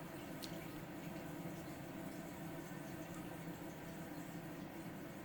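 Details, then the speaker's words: Kohler toilet with a Fluidmaster 400 fill valve: a soft, continuous trickle and hiss of water refilling with nobody flushing, the tank topping itself up; a bad tank seal is suspected, not confirmed. "does your toilet run and you really don't know why or do you sometimes not catch it running or is your water bill too high and you don't know why"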